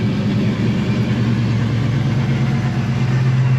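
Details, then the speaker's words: Procharged black coupe, idle tune still in progress: deep, steady, even idle with faint blower whistle under the exhaust; runs and idles great, cam lope not as hard yet. "Runs great, it freaking idles great. Like, we're gonna work more on the idle."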